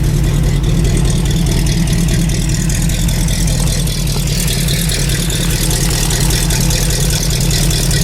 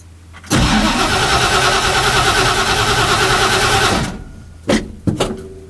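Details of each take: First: Carbureted engine on a cold start after sitting a long time, fresh fuel, throttle linkage just readjusted, still cold: settles into a steady, low, even idle without stumbles or knocks; normal idle. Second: Engine on a cold start after sitting a long time, fresh fuel: catches, runs a few seconds, fades and dies, then two short coughs that won't keep running; throttle linkage needed readjusting.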